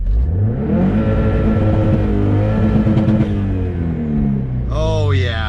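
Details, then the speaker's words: 500 hp Subaru STI held at 6,500 rpm on launch control while building boost; it does not misfire at idle. The drone breaks up unevenly with pops, a misfire under load that is suspected on cylinder two, and smoke comes from the exhaust. "it is automatic misfire"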